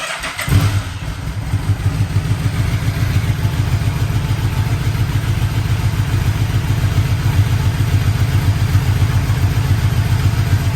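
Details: 1985 Yamaha Vmax V4 after carburettor rebuild, coils, leads, plugs, boots, restarted with air box fitted: catches right away, firm even beat, revs cleanly and holds steady; normal start and revving.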